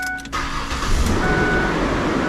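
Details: Car with a no-start from corrosion inside the battery O terminal, after the terminal was replaced; brief crank then immediate catch into a steady, strong run — normal start, fixed.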